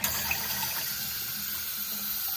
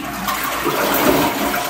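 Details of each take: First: Niagara Stealth toilet (model N7714) fill valve hissing steadily while the tank fills very slowly, causing a weak flush; traced by trial and error to a worn fill valve seal needing replacement. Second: Niagara Stealth N7714 toilet after replacing the fill valve seal, which had caused hissing, very slow tank filling and a weak flush: a loud, even, forceful flush with no hiss or sputter, and the tank now refills quickly.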